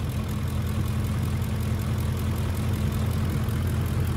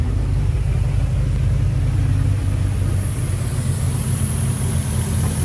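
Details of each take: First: 2006 Ford F-150 5.4L 3V Triton, almost 300,000 miles, right after the vacuum line is grabbed. A deep, even V8 idle with only light regular valvetrain ticking and no more hiss; it runs much better and the fuel trims will adjust. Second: 2006 Ford F-150 5.4L 3V Triton with a remanufactured engine, almost 300,000 miles on the truck, codes P2195/P2197 stuck lean. At hot idle it is uneven, lumpy, shaking and laboring, with a faint high hiss: a large vacuum leak running it lean.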